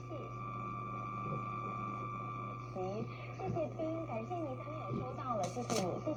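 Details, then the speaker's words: Circa-1956 New Zealand hand-built La Gloria valve AM radio (Dominion Radio), first power-up: picks up and plays a station over a constant high whine and low hum of electrical noise; partly blamed on only a wire-bundle antenna fitted. "So you can hear she's picking up stations. Happen to be tuned to one in fact. But you can hear that constant whine of other electrical noise."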